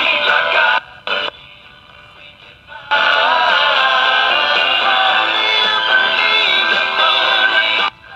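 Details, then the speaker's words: Battery-powered GE AM transistor radio, before testing Russian germanium transistor replacements, tuned to a weaker station: music sounds thin, harsh and fuzzy with a gritty edge, and the volume control is bad; distorted audio. "the volume control is bad in this but as you can hear this is semi distorted so the weaker stations are a little bit distorted"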